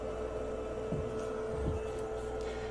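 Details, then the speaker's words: DTF printer, apparently brand new: steady faint whine with two short squeaky chirps as the cleaning unit tries to move left at the capping station; squeak from the capping station binding, not the clear belt. "You're going to have a squeaky sound when the cleaner trying to move. Now it is about at the capping station."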